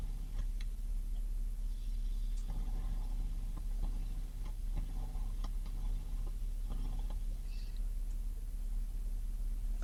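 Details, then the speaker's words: Vibrolux Reverb valve amp warmed up 20–25 minutes, mic against the speaker, audio boosted 12 dB: steady mains hum with gentle level shifts as the master volume turns, no scratching or crackle. The previously noisy pot now sweeps quietly after cleaning. "Well, that is a significant improvement."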